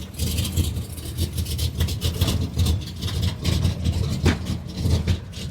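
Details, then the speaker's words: Old 350 V8 after starter replacement: deep, loping idle with a steady low pulse and some uneven rise and fall; sounds healthy, though idle may need raising a little. "Anyhow, the old 350 sounds good."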